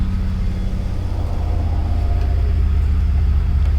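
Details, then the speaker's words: A passing car, possibly a small Mazda, swells into a deep, rough rumble with a coarse, uneven exhaust beat. It sounds awful and harsh, but the cause is not identified. "there's this guy down the road he has like a Mazda or something and it sounds awful I'm pretty sure he's about to go by here in a minute"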